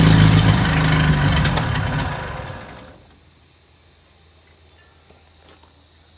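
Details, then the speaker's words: 1969 International Scout four-cylinder after long storage: catches and runs loud but uneven for a couple of seconds, then dies out; carburetor issues, with the jet found dirty and needing cleaning. "think we've got some carburetor issues but it runs well that's good"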